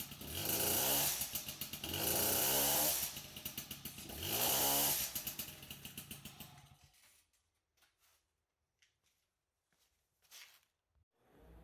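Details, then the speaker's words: MBK 51 two-stroke moped with an RCX clutch drum and a reworked clutch and variator setup, revved in three rising bursts, each dropping back to a quiet idle; the clutch now engages later but the owner feels it still engages slightly early. "Donc effectivement ça embraye plus tard et ça embraye quand même, donc c'est déjà pas mal. On va essayer sur la route pour voir comment ça se comporte. Mais j'ai l'impression que ça embraye un peu trop tôt quand même."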